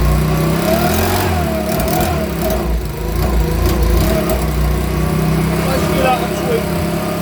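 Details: Makita BHX2500 24.5cc 4-stroke leaf blower, brought in as a non-runner, quickly diagnosed and cover refitted; warm, started without choke: engine runs steady and even, no misses, knocks or surging, sounding healthy and clean.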